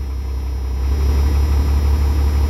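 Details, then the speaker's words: Rebuilt 12-valve diesel hotshot truck, warming up: low, steady rumble holding an even idle around 770 rpm, no knocks or misses; healthy idle, though the oil pressure gauge fluctuates. "you're idling about perfect like 770"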